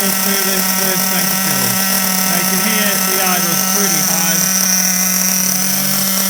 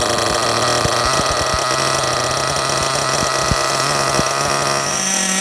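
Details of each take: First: Kyosho MP9 TKI4 nitro buggy, new engine at first start before break-in, idle screw turned up, car on casters: high, buzzy, steady, even idle with constant pitch and no misses or surging. Normal idle. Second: Kyosho MP9 TKI4 V2 Readyset nitro car on stand, first start, break-in on first tank: fast buzzy idle with uneven pops and spits; idle screw deliberately turned up high to help it fire, mixture very rich.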